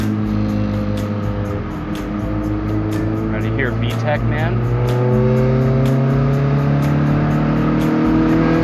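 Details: EF Honda Civic after turbo seal repair and coilover install, on a drive around the block. Strong, even engine pull whose pitch climbs smoothly and hardens through VTEC crossover; healthy engine, no knocks.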